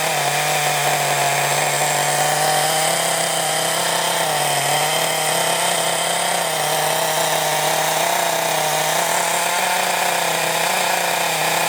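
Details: Thunder Tiger .28 Pro nitro RC engine, run with flywheel but no clutch or bell, tick-over just raised: steady, high, buzzy unloaded scream that sounds slightly lean; main needle being turned out to richen. Lean suspected, not confirmed.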